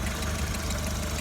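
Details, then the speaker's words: Skoda Octavia A4 1.4 BCA 16-valve at idle: light, quick tapping from the cylinder head; bleeding the hydraulic lifters didn't help; owner suspects lifters but unsure, cause unconfirmed; engine ticking at idle. "1.4 БЦА мотор шестнадцатиклапанный вот слышно стук небольшой всё думал на гидре сейчас уже какие-то сомнения появились"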